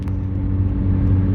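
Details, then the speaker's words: 2010 Kia Soul driving: deep, loud, steady boomy rumble far louder than a sealed exhaust; exhaust leak, pipe flange after the converter rotted open. "yeah so there you go exhaust leak Kia Soul another one to do"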